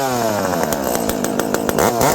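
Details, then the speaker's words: Dolmar 7300 chainsaw fitted with a Husqvarna 266 Bearclaw exhaust pipe in place of the choked stock muffler, pipe just adjusted lower so it doesn't hit. It revs up and down cleanly with a strong, even bark and no stumble or misfire: a healthy, good-running saw. "Yeah, friends, this is a good running saw."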